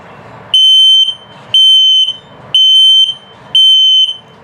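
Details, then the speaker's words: LP/carbon monoxide detector in a 2021 Keystone Bullet 2200BH travel trailer, run through self-test: four loud, high, piercing beeps about once a second in a quiet room. Slow beeping signals a low battery. "If it beeps very slowly like that, it's just telling you your battery's low."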